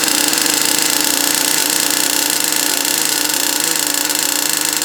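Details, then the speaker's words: RC monster truck's small two-stroke engine on its first run; constant high-pitched buzz that never drops to a slow tick-over, runs fine and sounds healthy but idle is set slightly too high. "that tick over is slightly too high, but it runs, which is good."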